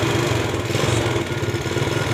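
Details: Yamaha Vega ZR motorcycle idling roughly with loose clattery rattle over uneven beat and smoking; loose cam chain, worn loose piston and bearings suspected as causes.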